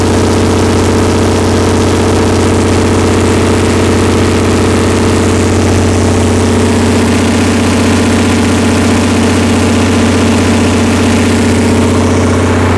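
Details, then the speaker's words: Perkins 354-series diesel on a 45 kW Empire generator after injection pump reinstall: smooth, steady governed rumble at no load, about 61.3 Hz, no misfire or rattle, no major fuel leaks; normal no-load running. "okay we're at 61.3 that's uh that's an acceptable no load speed for now i don't see any massive fuel leaks that's a plus"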